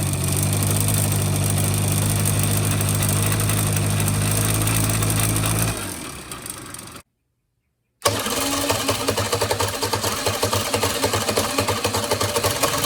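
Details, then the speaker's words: 1985 Honda Spree scooter, carb cleaned and fuel lines replaced, idle okay: at full throttle the wheel barely turns as the engine holds a dull, strained drone without climbing, then sags and cuts out; bogging from carbon-clogged muffler. "Got a couple mufflers here that are plugged up. One's got a bunch of rust, but the other one's got a bunch of carbon in it."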